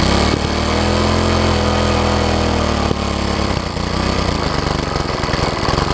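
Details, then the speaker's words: MTD front-tine tiller single-cylinder engine after carb bowl refitted: runs with an uneven, slightly hunting beat, earlier ticking gone, still running fast and a little rough; owner blames a clogged air filter; throttle linkage later found misconnected. "still running really fast though air filters clogged up that's the problem there"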